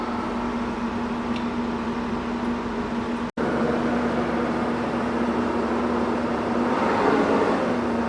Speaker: yeah that thing fired right up dude don't don't hit my truck wow yeah pretty easy sounds good too